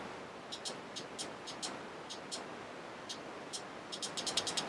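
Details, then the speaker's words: Common car relay, tested by applying 12 V from an old battery across pins 85 and 86. Sharp, crisp clicks as the coil is energized, with no buzzing; the relay switches properly. "so there's obviously a click there so that gate is working"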